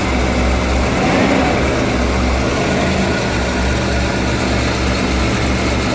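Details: 1991 Ford E350 cutaway van, 5.8L V8 with in-tank and inline high-pressure fuel pumps, first start of the day at about minus 20: deep, steady V8 rumble holding an even idle with no knocks or misses, a normal healthy cold idle.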